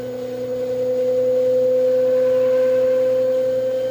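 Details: LG washing machine with a new noise on spin: a pure, steady mid-range whistle or whine holds its pitch through the spin cycle. Source not yet pinned down.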